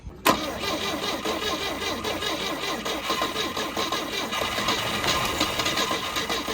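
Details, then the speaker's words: 1971 Volvo 142 with a B20B, one owner: the starter cranks steadily but the engine never catches; spark is confirmed using a Pertronix Flamethrower coil in place of the old coil, which measured 6 ohms, but no fuel is reaching it. "all right well we definitely got spark we just don't have fuel now"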